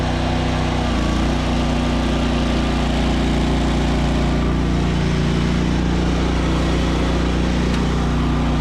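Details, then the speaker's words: Zero-turn ZT200 mower deck test: engine runs heavy and laboured with a deep uneven drone, dragged down as the clutch likely slips because blades won't turn; something inside the deck is stopped up, cause not yet confirmed; engine bogging under load. "so okay we could hear it load the engine down probably slipping that clutch like crazy because it wouldn't turn"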